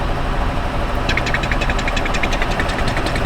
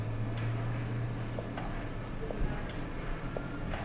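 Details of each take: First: 2007 Honda Odyssey at idle with EVAP codes for low/no purge flow (P0497), purge valve commanded: fast light ticking, two or three a second, over steady idle; sounds like a vacuum leak, cause suspected, not confirmed. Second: 2007 Honda Odyssey with EVAP low purge flow codes (P0497), engine stopped, purge control solenoid commanded by a scan-tool actuation test: crisp, evenly spaced clicks about once a second, so the valve responds.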